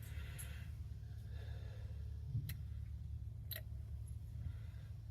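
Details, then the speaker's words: 2016 Kia Sorento with recurring P0014: removed oil control solenoid bench-tested at about 2 amps, crisp clicks over a low hum as the plunger moves; solenoid actuates normally, to be cleaned, replacement possible. "so almost two amps so it's about 2 amps I feel the plunger moving and everything like that"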